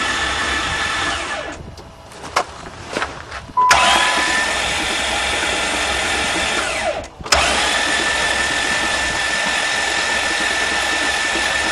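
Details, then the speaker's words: Van engine hydrolocked after being driven into a lake, spark plugs out and intake manifold off: fast even starter whir with no compression pulses and splashing hiss as water is blown out; starter motor works. "water's still flying I can see the drops well that's what the engine sounds like with no compression at least the starter motor is good"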